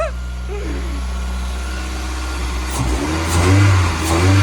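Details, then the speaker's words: Toyota MR2 after manual conversion, starting after two months of no-start diagnosis: catches and holds a steady idle, then revs cleanly and settles back; normal start and rev. "That is literally, I'm pretty sure, 2 months of trying to diagnose why this car hasn't started, and she finally starts."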